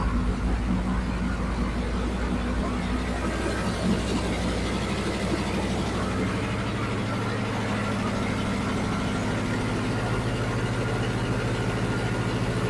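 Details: 1967 Mustang fastback (GT500 style) V8, just back from another shop with lost power, first start for diagnosis: loud, uneven, lumpy idle that never settles; something pouring from the exhaust.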